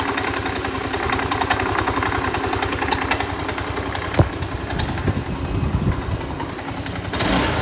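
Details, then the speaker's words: Yamaha Aerox scooter at 138 indicated on speedometer, engine suddenly rough: choppy, uneven idle with clattery edge and unsteady firing; cause not yet identified. "dan seperti itu suara mesinnya ya teman-teman suara mesinnya sangat kasar"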